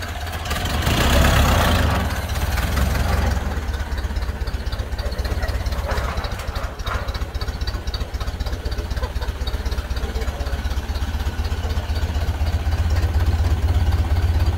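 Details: 1931 Ford Model A, flathead four, 200.5 cu in, about 4.5:1 compression, just revived after 65+ years stored; low, even putter settling after start-up, steady beat, no misses or knocks; healthy, smooth low idle.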